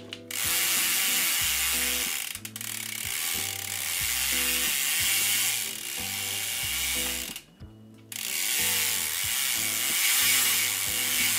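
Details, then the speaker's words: Mountain bike drivetrain after a deep clean and degrease of the chain, reassembled with the power link: a steady freewheel ratchet buzz with pedalling bursts and the earlier grinding gone. The drivetrain now runs clean and quiet. "all right i think we fixed it the grinding sound that i don't have ever picked up on the audio i can't hear it anymore so that's fantastic"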